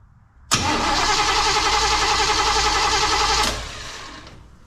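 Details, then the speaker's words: 1935 Oldsmobile sat for many years, rewired, first start attempt, fuel pump working and fuel squirted in: starter spins engine evenly about three seconds with no firing or pop; no ignition because the distributor was left unplugged. "see nothing we're not even getting a little bit of a pop let me check something H okay yeah I didn't plug in the distributor"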